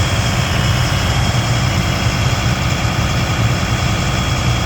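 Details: Abandoned military M1078 LMTV diesel truck first started after new batteries, idling loud and low with an uneven, lumpy throb; rough idle, cause not yet pinned down.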